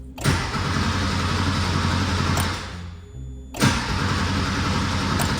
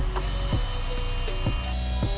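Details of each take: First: 1982 Porsche 911 Slantnose, unrun for 20+ years: two cranking bursts with an even churning starter rhythm and the relay clicking, but it never catches. Relay was tested fine; fuel pump is probably dead. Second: 1982 Porsche 911 Slantnose, not run in over 20 years: a newly installed electric fuel pump at key-on gives a steady high whine with soft clicks about twice a second. Normal; no fuel leaks.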